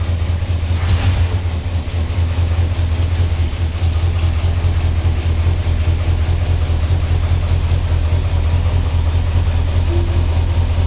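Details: 1978 Ford F-150 with 460 V8, idling: heavy lumpy idle with uneven chuff about twice a second; one cylinder dead from a worn-flat camshaft lobe.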